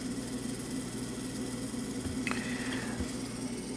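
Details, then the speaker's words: Late-1960s/early-1970s Sankyo Seiki mechanical digital rolling clock with a motor that can't be quieted without drilling the casing. Constant low buzzing hum with a steady mid-pitch drone. Loud motor hum from dried gearbox lubrication. "Other than it's way cool. And way noisy. I wish there was a way I could quiet it down without yanking that, without drilling a hole in the motor casing."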